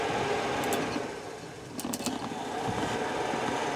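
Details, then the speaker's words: 1963 Chevy C10 heater blower motor bench-tested with a temporary ground wire during heater core replacement: quick whirring hum with light even ticking about three a second as the fan spins freely; blower running normally. "All right, fan's doing good. I don't know if you can hear it. Oh, there we go. Turn it down. All right, fan's working good."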